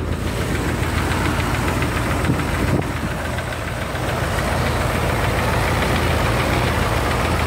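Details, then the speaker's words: 1978 Corvette V8, top end redone with new distributor, started after standing a few days: idle with dull uneven knock about twice a second, low under the engine; owner says bottom end is going. "be able to hear the tapping. Obviously sounds better from the back. Get to the front. That's the tapping noise on about."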